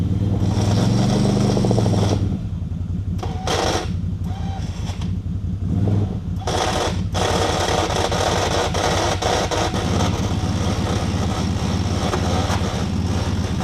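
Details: ATV winch with a shop-replaced cable that wouldn't pay out properly, paying out: a rough, uneven rattling chatter at about three beats a second over a low motor drone. Abnormal noise; the owner suspects something busted, unconfirmed.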